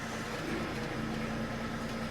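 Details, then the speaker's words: 2003 BMW X5 E53 automatic transmission at idle: with drive selected a faint steady whine as it engages first gear, less noisy in reverse; noisy gearbox, internal cause unclear. "you can actually hear it's going into first gear listen to noise that's noisy but if we put it in reverse it still drops but it's less noisy"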